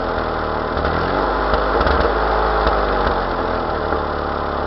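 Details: 1992 Mazda B2600 at idle: lumpy idle with irregular dropouts and stumbles, a few missed beats per second; misfire of unknown cause.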